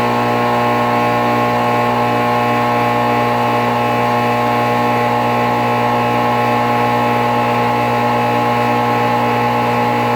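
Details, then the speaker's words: February 2008 NuTone dual-zone central air condenser starting up and running: loud, steady droning hum with a coarse buzz, shaking the ground heavily; cause not confirmed; loud condenser with excessive vibration. "it's unbelievably loud that unit is unbelievably loud Wow it's also vibrating the whole entire ground I'm not even joking"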